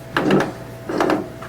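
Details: Honda mower drive wheel after cleaning and regreasing the ratchet, which had locked up and made no click before: crisp clusters of light clicks as the wheel turns freely with no binding; ratchet working normally.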